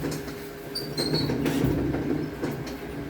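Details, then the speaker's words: Samsung large washer, latest model, harsh metal-on-metal scraping with high squeaks during wash and spin, coming from the motor underneath; a loose magnet rubbing inside the motor. "sasabit yan sa motor niya ha may motor baba anan maingay siya talaga Tay nagkikiskisan ng mga bakal"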